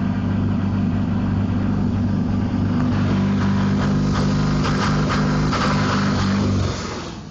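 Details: Duramax diesel, warmed up, held around 3000 rpm; rough uneven running with stumbling beats, misfire only when warm, unchanged by stock or rev-limiter-disabled tunes, no log faults; owner suspects ECM dropping crank position signal at higher revs.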